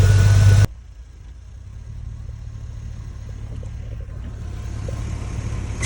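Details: 2002 Chevy Tahoe 5.3 V8 just after installing a cheap eBay cold air intake: sharp rev burst, drop to a deep steady idle, then picks up again; smooth even low rumble, sounds much better with the intake. Normal revving.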